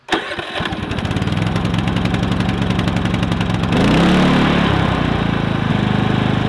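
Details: Predator 3500 inverter generator, 18 hours run time, after removing the spark arrestor suspected clogged: catches within a second, settles into a steady, even beat picking up slightly around four seconds; runs smoothly.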